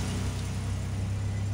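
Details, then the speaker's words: Jeep Liberty KJ idle: smooth, steady idle sitting around 1,100–1,300 rpm with no hunting; high idle caused by a vacuum line left disconnected during plug work, not by cold running. "I started it up it had slightly high idle you guys heard that I even said that and it wasn't because it was cold"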